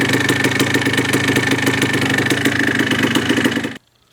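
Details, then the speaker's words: 1980 Yamaha IT175 two-stroke enduro after top-end rebuild (rebore, new piston) and new reeds, warmed up at idle: steady, even, crisp beat with no high-frequency top-end ticking or piston slap; remaining faint rattle is from the clutch. "We're got it running, runs good, sounds good. It's going to be fun on the trails this coming season, and I'm real happy. I'm happy that the noise is gone."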